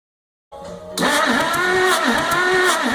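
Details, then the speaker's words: 1961 Willys Jeep pickup 6-226 engine cranking after carb rebuild and ignition work confirming spark: spins fast and even with almost no compression chuff, never catches; stuck valves caused no compression, later freed and lapped. "So, as you just saw in the last clip, there were a number of stuck valves, and like Johnny mentioned, we got them unstuck, we lubricated them, we lapped them, and that was after attempting to start it after the carb rebuild"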